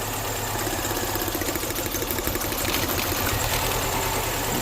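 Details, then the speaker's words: 2005 MINI Cooper idling with one cylinder's injector unplugged, simulating a clogged injector; the idle stumbles with an uneven puff-puff beat and skipped firing pulse, a misfire from the dead cylinder. "You're going to hear the engine change RPMs. You hear how it's missing. It's going puff, puff, puff, puff."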